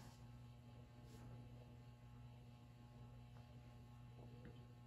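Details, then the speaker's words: Rare late-1970s/early-80s ERS American Art Series ceiling fan run at an in-between speed: steady low electrical motor hum with a faint buzz, no knocks or rubbing; the fan sometimes complains like this at random intermediate speeds. "if you listen closely you can hear a noise too got a buzz to it yeah sometimes this fan complains when you try to run it on uh some [Music] random speed like this"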